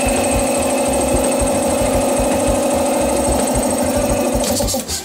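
Steady motor hum with an even, regular low chugging beat, no knocks or rattles, then it winds down at the end; compressor running healthy.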